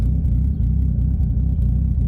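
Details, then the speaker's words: Nissan 240SX with a 1JZ swap and 264 cams, cold start in snow, a little smoky: deep, even low rumble with a slightly lumpy, loping cam beat, steady and firm idle; runs well. "yeah still a cold start despite a little smoky you can see all the snow here"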